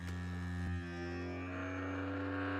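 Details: DeWalt 20V MAX Grabo suction lifter: steady low vacuum-pump motor drone pulling to about -12 PSI, no catching or pulsing, shuts off at target; pump healthy.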